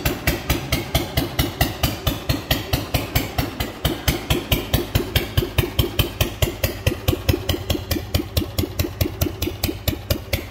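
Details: Old Clinton stationary engine on its first start in 5 years, powering a compressor: even, steady thumping at about 140 beats a minute with no misses or knocks; the engine runs normally.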